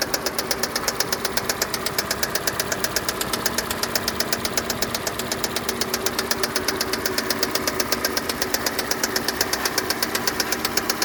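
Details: 2015 Kia Sportage 2.0 G4NA at idle: sharp, even metallic ticking knock about 160 a minute riding over the idle; clear internal engine knock, source undetermined.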